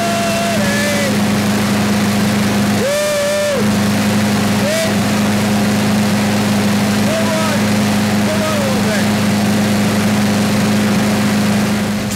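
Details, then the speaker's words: Craftsman 6.5 hp self-propelled mower with a Briggs 190cc engine that ran rough and then wouldn't start, tested after carburetor and cable repair, bail held, no leaks: a steady, even drone at constant speed with no misses or surging; it runs healthy. "Right, it's looking good."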